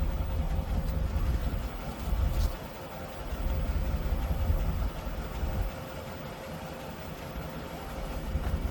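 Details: 1988 Mercury Cougar Fox body V8, first run on its own fuel system after fuel tank cleaning and ignition fix: deep, steady rumble holding an even idle with small rise and settle; starts and runs on its own.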